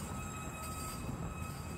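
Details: Car driving and turning at night in Dearborn, Michigan: thin, steady high-pitched squeal over rolling rumble, occurring when turning; owner thinks it's the brakes, unconfirmed.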